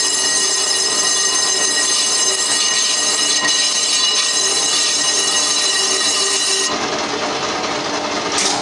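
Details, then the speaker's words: Colchester Triumph 2000 lathe skimming a cast-iron 1930s Studebaker front brake drum in a 12" 4-jaw chuck at about 80 rpm, with inserts not suited to cast iron: harsh high ringing squeal throughout the cut; persistent tool chatter, suspected drum ringing. "chatter is still horrible quite often once it's there you cannot get it out again just the tool running over it sets up the vibration"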